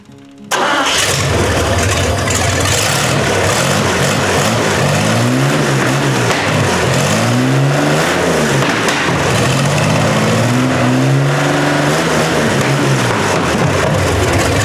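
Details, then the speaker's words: 1960 GMC V12 that had developed a miss despite new plugs: engine catches and settles into a steady, even run on all cylinders after tightening one loose spark plug that was losing compression; miss is gone. "Okay, much better. The mist is gone. There was one spark plug that was a little bit loose."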